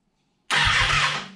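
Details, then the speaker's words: Fuel-injected 2014 Kawasaki Ninja 636, about 6,000 miles, after new plugs and air filter, smog pump removed with block-off plates and Seafoam added: short cranking with a few chugs but no start. Spark is confirmed; owner suspects injectors or fuel pump. "i got most of this done it just won't start um i'm thinking it could be injectors or fuel pump i don't know because i got spark"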